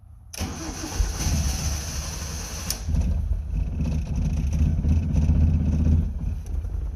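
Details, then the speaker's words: Van just refuelled (gas gauge not working): after long cranking it catches and chugs unevenly at a low, lumpy beat, like running on two cylinders; rough misfire, then battery went dead, cause not confirmed. "sort of running running like two cylinders oh battery's dead"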